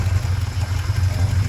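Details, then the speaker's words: 1982 Porsche 928 V8, barn-stored six years on 2016 gas, first start and drive: deep rumble swelling and sagging unevenly; hunting idle, idle seems set too low, fuel pressure ~22 seems low, owner thinks it needs a fuel pump. "It's searching for an idle. I wouldn't call it idling. It's searching for an idle. Seems set way too low."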